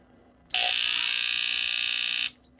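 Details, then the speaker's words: Smoke alarm, powered on, possibly from a questionable outlet: harsh steady buzz under two seconds instead of a clean squeal; abnormal buzzing alarm tone, owner suspects the sounder is dying, cause unconfirmed. "yeah it's not supposed to do that but you got like I think it's supposed to have a squeal or sound to it not a buzzer but I think that's just it dying out"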